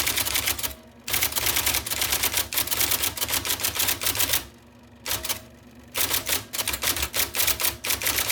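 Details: 1979 IBM Selectric II (non-correcting) typewriter, restored after a miswired plug, cleaning, flushing and lubrication: quick, crisp, evenly spaced type-ball strikes in bursts, broken by short whirring carriage returns; normal typing.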